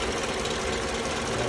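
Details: 2009 Toyota Camry with codes P0302 and P0352 while idling: an uneven, stumbling beat from a misfire caused by the failed ignition coil on cylinder 2. The problem was solved.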